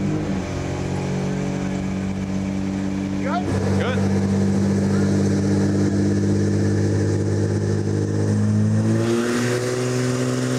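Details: 1964 Ford flatbed with turbocharged Ford 300 six, intercooler and FiTech EFI, chassis dyno pull (377.7 hp, 373 torque): strong even drone under load, pitch climbing cleanly late in the pull; healthy, pulling hard.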